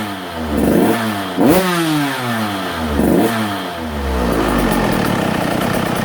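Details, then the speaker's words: Husqvarna TC85 two-stroke after a full rebuild with new crankshaft, piston and bearings, warmed up and revved to check the power valve. Crisp blips rise and fall cleanly, then settle into a steady high buzz with no rattle or misfire; engine healthy. "I want to rev it out and just make sure the power valve's opening up and she's revving out just fine and everything."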